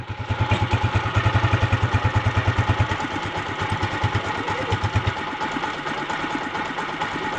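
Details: TMX 155 motorcycle after repair of cat-like noise and whine in 1st, 3rd and 4th gear; steady single-cylinder thump about three beats a second, no whine or clatter; normal idle, owner happy noise is gone.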